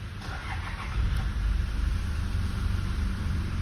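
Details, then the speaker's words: Toyota Fortuner at about 200,000 km, final check after brake system repair: brief crank, engine catches and settles into a smooth even low idle, warning indicators go out promptly; normal start. "Indikator langsung mati beberapa. Kondisi normal."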